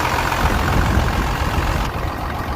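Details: 12-valve Cummins diesel after exhaust manifold leak fixed with new MLS gaskets: deep steady clatter with even rumble, no puffing or ticking from the manifold; sound, leak-free normal running.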